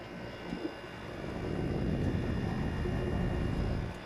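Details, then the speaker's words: Maytag 5200 BTU digital window air conditioner, after fixing a rattling rear radiator: low, even compressor hum that swells slightly and settles, no rattle or buzz; running quietly and normally. "They could have put a couple in up there from the factory, but whatever. Yeah, it sounds good now."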